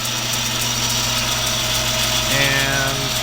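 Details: Logan 922 metal lathe, 11-inch swing: a sharp light tick about four times a second over a steady motor hum, keeping time with belt travel; the old flat belt splice is slapping the pulleys.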